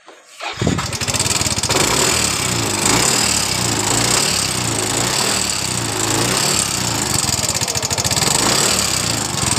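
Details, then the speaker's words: Yamaha Mio S scooter: starts and settles into a fast, light metallic ticking over the idle; suspected slack timing chain or worn tensioner, possibly from running out of oil. "Jadi jika teman-teman mengalami motornya S seperti ini biasa yang jadi permasalahan itu di bagian dari bloknya atau di bagian dari penindis serantai ketennya yang biasa jadi permasalahan"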